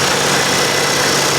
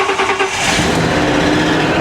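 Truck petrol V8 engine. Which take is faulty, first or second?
second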